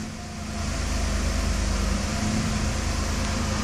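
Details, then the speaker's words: 1992 Mercedes S600 V12 in deliberately induced limp mode (lever moved under hood), ASR light on: idle wanders up and down on its own, rougher and deeper exhaust tone, because the throttles are not controlling idle. "okay now it's in limp mode we have ASR light come on here is our idle speed you can see it's not really steady it jumps by itself because throttles do not control"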